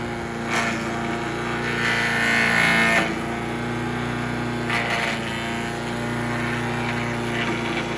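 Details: Troy-Bilt chipper/shredder with a small single-cylinder petrol engine, bought used after sitting non-running and given carburetor work, running under load. It holds a steady, even drone while branches crack through, with no stumbling or surging. Owner suspects rocks dulled the blades.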